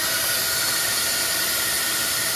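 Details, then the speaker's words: R53 Mini Cooper on jack stands at start-up: a loud, steady airy hiss with almost no engine note underneath. This is an exhaust leak, felt past the flex pipe toward the catalytic converter, possibly from an unseen hole. "all right W drive back is on let start the front end well I'm hearing air hearing a lot of air"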